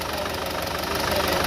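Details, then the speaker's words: Car brought in for pickup problem, pollution and engine noise, before carbon cleaning: engine idles with a busy, clattery ticking at a steady rate; rough, noisy idle, cause not confirmed. "Pickup problem. ఇంకా pickup problem అని వచ్చినాం చూద్దామని. అలాగే పొల్యూషన్ గిట్టంగా, engine sound."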